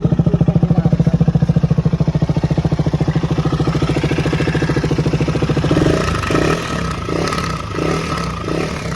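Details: Duke 250 BS6 motorcycle engine noise: a hard, regular clatter at idle of around 200 beats a minute, fading into the revs when throttled; abnormal engine clatter, cause unknown.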